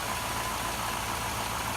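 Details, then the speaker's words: Donor Silverado 4.8 V8 (LS), about 400–425k km, sat all summer, idles with a steady, smooth low murmur and no knocks or ticks; notably quiet, healthy engine for its mileage, headed for a 1983 S10 swap. "quiet I don't know what else you want out of an engine for that mini cake"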